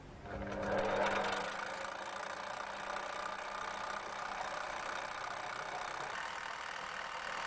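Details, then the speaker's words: Lathe facing a 150 mm disc that comes out convex: hissy cutting noise with a faint irregular knocking underneath; the noise has only just started and its cause is unknown; unidentified mechanical noise. "And I don't know what that noise is, it's only just started."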